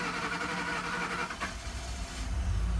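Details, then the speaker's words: 2012 Ford F-150 5.0 Coyote V8, first start after replacing the fuel injectors and priming: it catches unevenly and stumbles for a second, then settles into a steadier idle. The rough start is judged nothing to worry about and it runs good afterwards. "It was rough on the startup, but I mean, that ain't nothing to worry about. So now we're running good."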